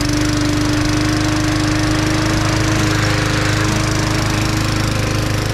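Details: 1974 Dynamow mower, recently revived and starting on the first pull, mowing the front yard: a steady, even chatter at constant speed with no misses or surging. It is running normally.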